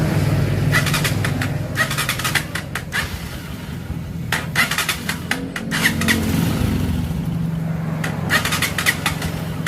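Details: Honda TMX125 single-cylinder motorcycle with a bogging carburetor: engine runs unevenly, stumbling and starved with an irregular misfiring beat; plug showing black soot.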